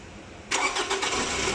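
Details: 2018 Toyota RAV4 after repairing damaged, shorted crank sensor wiring that caused crank-no-start: starter catches cleanly after half a second and settles into a steady, even idle with no stumble or misfire. Normal start and idle.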